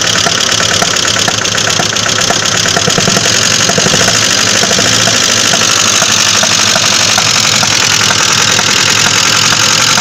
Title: Стук двигателя